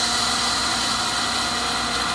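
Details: Older Accu-Turn 8922 brake lathe switched on in rotor position before the bits touch the rotor: even high-pitched hiss and hum from the motor spinning freely, no knocks or grinding; runs smoothly.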